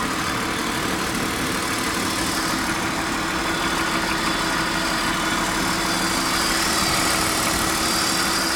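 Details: 1999 BMW E39 528i with M52B28TU engine at cold-start idle: a rough, uneven ticking knock of about three beats a second. The owner believes it comes from around the intake manifold; source unconfirmed.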